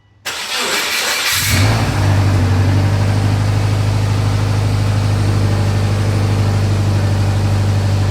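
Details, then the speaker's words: 2004 Subaru with a swapped 2.5 engine converted from automatic to manual, start with coolant, accessories and full exhaust: brief crank, clean catch and a steady, even idle with no knocks or ticks; normal. "so yeah this sounds like our car nor normal car I'm going to let it idle for a bit to leave the coolant and then I'm going to go for a test drive"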